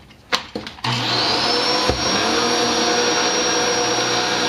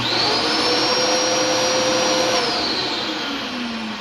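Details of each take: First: Dyson DC07 vacuum sounds normal until the brush bar clutch is engaged, then a loud steady high-pitched scream rides over the motor whine while the bar still turns; owner first suspected the clutch, later the brush bar bearings. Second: Dyson DC07 vacuum, run daily, with a squealing problem when the clutch engages: with the brush bar off it runs normally, a steady high whirring motor note holding even pitch before winding down.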